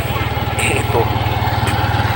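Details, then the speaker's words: Yamaha Aerox version 1 scooter showing check engine error 37 (ISC): fast, even chugging at a raised idle that won't settle down; idle speed control needs recalibration. "check engine error 37 ang malimit ng problema naan ay er 37 isc 5 kailangan na i calibrate yan aerox"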